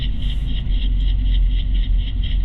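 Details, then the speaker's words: 2016 Nissan Rogue at about 30 mph, wireless mic on driver's side front wheel: low even road rumble, no bearing growl or hum, so this bearing is normal; slight brake noise only. "I'm trying to go about 30 miles an hour that's when the noise is most prevalent [Music] all right it seems fairly quiet"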